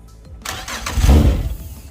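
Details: Yamaha outboard on a Contender 32CC, first crank after sitting a long while with wiring newly reconnected: brief crank, catches with a rising low roar, smokes, settles unevenly. Cold start after long storage; one motor's computer reported bad.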